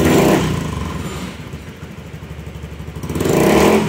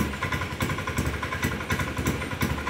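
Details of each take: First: Honda Beat scooter with an intermittent bogging problem, after a new ECU was fitted and initialized; the engine revs up cleanly, drops back and climbs again smoothly with no stumble or misfire. It now revs normally. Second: Honda Beat scooter running with rear wheel spinning: uneven pulsing beat stumbling every few tenths of a second, intermittent hesitation and misfire; TPS being checked, cause not found.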